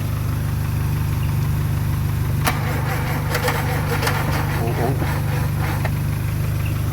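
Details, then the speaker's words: VW Mk2 Golf after 20 years unrun, spark test with no fuel line fitted: steady starter cranking with a brief stumble or two but it never fires; crank no start. "was a definite stumble there. Keen eye viewers, yes, there is no fuel line fitted, but I don't think it's going to run on 20-year-old petrol."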